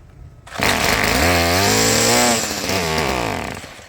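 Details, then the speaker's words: Stihl trimmer after refitting muffler screws: small two-stroke buzz rises and falls with throttle, clean with no rattle; still dirty and carb needs slight adjustment but sounds much better. Normal running. "it's dirty and the carb is uh in need of a little adjustment but it sounds much better"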